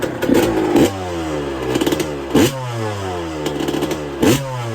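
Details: 1999/2002 Yamaha YZ125 converted to YZ144 two-stroke, first start after full restoration and carb rebuild kit, engine not yet hot: crisp blips rising sharply and dropping cleanly to a steady idle, no misses; normal healthy revving.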